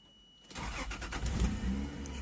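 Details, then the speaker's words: 1995 Toyota Land Cruiser, intermittent crank-no-start with fuel pump not running, after a burnt, poorly contacting disconnected connector pin was cleaned, replaced and reconnected: short crank, engine catches cleanly within a second and settles; starts normally. "السيارة اشتغلت من أبدع ما يكون."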